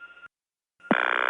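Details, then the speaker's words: 1979 Gainesville GA step-by-step tandem, dialing 8-4-1. A brief tone, then a buzzy pulsing ring as the operator answers: the intercept ring tone from the Gainesville cord board, telling the operator it is an intercept call. "that ring tone what's used back when intercept here was handled by the Gainesville cord board it would sound just when the operator answered and tell her that this was an intercept call"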